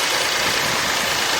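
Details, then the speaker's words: Car with a dead battery, started first try on a Fanttik T8 Apex portable jump starter at 16 volts: steady even idle hum with no knocks or stumbles, normal idle. "and I hear the chiming all right let's good boy car started first first shot that's the fantic T8 AP"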